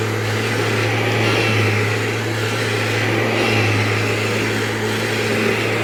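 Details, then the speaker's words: Dirty used vacuum with a HEPA bag, powered on to check it works; tech drive appears to work, possible leaks unchecked. Steady, even motor drone with an airy rush, no surging or rattles: runs fine. "So this does power on. I know, spoilers, right? Oh no, it powers on."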